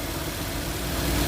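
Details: Toyota Avanza 1.5 G that had a crank-no-start fault with codes P1604 startability malfunction and U0167: even, steady idle with a smooth low rumble and no misses, knocks or ticks; runs and settles normally.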